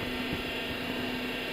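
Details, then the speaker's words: Honda Odyssey engine running with steady low whine from the power steering pump; low fluid, topping up the power steering reservoir makes it go quiet. "パワステポンプからびっくりマーク。パワステタンクの蓋を開けるびっくりマーク。そこに魔法のフルードびっくりマーク。"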